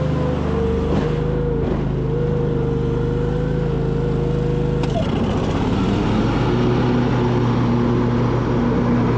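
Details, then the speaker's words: High-hour Cub Cadet 2186 shaft-drive lawn tractor being restored, after new coils, a new air filter and a solved fuel problem: start needing a little choke; brief cranking, then the twin catches and settles into a steady, even idle with no misses; normal start and idle. "I'll show you in a minute, but let's just first demonstrate that it starts up. Needs a little choke, I think."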